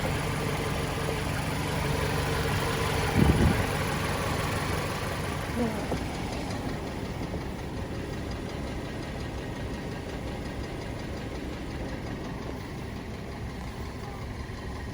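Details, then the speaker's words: 2013 Dodge Avenger 2.4L dual VVT inline-four at idle with a steady, deep knock about four a second under the engine note; rod knock and piston slap suspected, and it sounds pretty bad. "there's a brother bad I hear them knocking yeah it sounds pretty bad"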